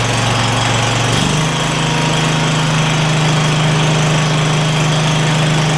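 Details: Craftsman DYS4500 lawn tractor with Kohler Courage V-twin after new spark plug and ignition repair: engine picks up speed, then holds a smooth, steady drone with both cylinders firing evenly; it runs healthy.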